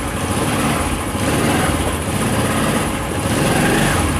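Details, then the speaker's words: Honda motorcycle (CD70-type) after tightening clutch free play to about 20–25 mm: started and put in gear, steady even idle holds with no stumble or stall; normal running. "Bike start करते हैं और gear लगाते हैं तो bike जो है वो बंद नहीं होनी चाहिए"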